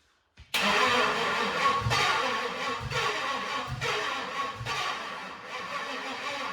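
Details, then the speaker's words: 2008 Toyota Prius with 5.3L LS V8 swapped in, first cold start: rough lumpy idle surging about once a second; cylinders one and two dead and cold from flooding injectors. "okay well we definitely have a cylinder one this that's ice cold the other ones are warm right number two is cold too"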